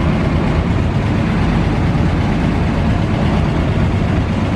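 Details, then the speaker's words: 1940 Dodge VK62B 3-ton ex-RAF truck, started after months unused on old fuel, choke eased off: now warmed through, even deep steady rumble with no misses or knocks before driving out; normal warm idle. "well she's warmed through a bit now so let's see if he'll actually drive out"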